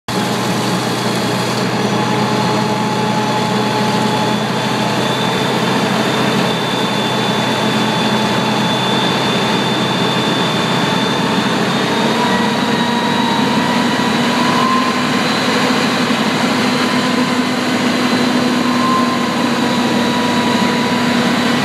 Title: Pressure Governer PSI Mode - Cavitation/Low Water